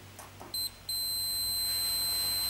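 Short blip, then a steady high beep held for about two seconds: the meter reads continuity, so the thermostat is good.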